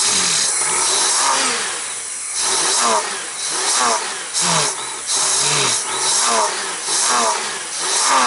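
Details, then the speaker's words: Honda GL1500 Goldwing after carburetor clean with accelerator pump and idle fixed, not warmed up, on choke; owner thinks air cleaner drag may help; quick blips returning cleanly without stumbling; normal revving. "oh we got the accelerator pump fixed and the idle fixed so maybe with the air cleaner on it just needs a little bit of drag from that I don't know yet I'm still working on it seems to be doing better now"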